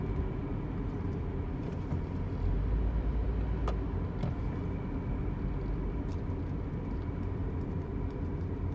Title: Car’s whining noise